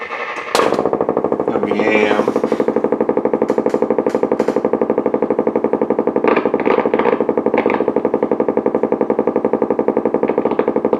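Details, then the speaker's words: Blaupunkt Florenz radio with broken dial strings and no real antenna, amplifier, bass and treble working: on the AM band a steady putt-putt pulse about four times a second comes through the speaker; the set is motorboating. "But when we go into AM, there's our nasty motorboating again."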